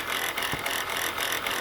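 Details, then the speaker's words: Chrysler Pacifica (first generation, about 2004–08) at idle, engine bay: fast dry metallic rattle and ticking from the accessory drive. The alternator pulley is bouncing with brown residue around it; alternator bearing suspected shot. "something hold on let me move this cover already mov all right guys from the looks of this and the sound of this look like the alternate Baron is shot"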